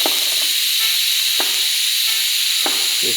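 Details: ARCCAPTAIN 200P AC/DC TIG in DC on a scrap piece, stock regulator around 30 CFH, non-BBW cup: steady even high hiss without crackle or popping, a few light taps; normal DC TIG arc.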